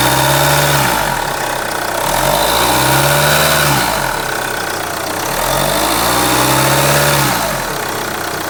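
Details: B20DTH diesel at idle, heard from under the bonnet: low drone swelling and fading about every three seconds; droning noise at idle, source unclear.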